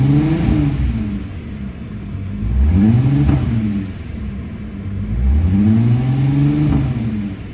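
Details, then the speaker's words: Fully rebuilt VW GTI VR6 with new exhaust and double resonators, warming up, no tip fitted; revs rise and fall in smooth sweeps, resonators removed most pops and bangs on overrun. Normal revving exhaust. "those double resonators took a lot of the pops and bangs away"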